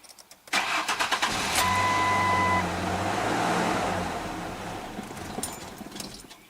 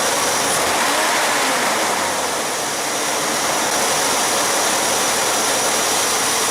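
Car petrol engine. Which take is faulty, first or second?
first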